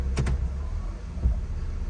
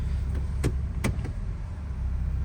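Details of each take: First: 2004 Honda CR-V in gear with the brakes held while tapping the gas: low idle broken by deep single clunks when shifted into drive, with bad vibration in drive and reverse; worn engine mount and transmission mount. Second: 2004 Honda CR-V after replacing worn engine and transmission mounts with broken bushings: low steady rumble through the gear change with only light clicks; no more jerking or clunking.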